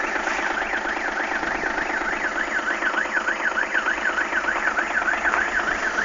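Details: Audi A6 V6 TDI 110 kW at idle: a strange high-pitched tone warbles up and down about three times a second over the quiet idle; source not pinned down.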